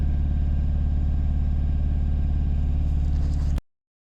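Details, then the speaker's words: VW Caddy/Seat Ibiza 1.6 TDI CAYC diesel after cambelt and high-pressure fuel pump replacement, pump primed, easy start used, weak battery: steady cranking about four turns a second, no firing; still cranks without starting, fuel pressure suspected. "um after all that is still doing exactly the same thing"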